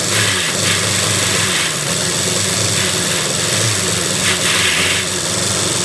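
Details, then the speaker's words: Max the van after an engine top-end rebuild and ignition timing adjustment: engine catches but runs with ragged surges and stumbles, misfiring and unwilling to rev; still running poorly, cause unconfirmed. "all right so I've had success getting him running but he's still not running probably"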